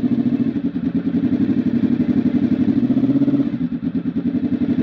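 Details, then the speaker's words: Honda RC24 V4 converted to a big-bang firing order with no timing work: uneven, lumpy pulsing beat gives a funny warbling exhaust note. "about 45,000 our PMS got that that really funny little warble was actually quite light but when you get to about 7000 rpm nothing happens"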